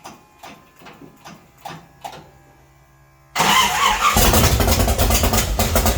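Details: 1966 Chevy C10 rat rod, start after adjusting the oil pump and refitting the distributor, timing not yet checked with a light: a few slow cranking strokes, a pause, then it catches and runs steady and even; starts and runs normally.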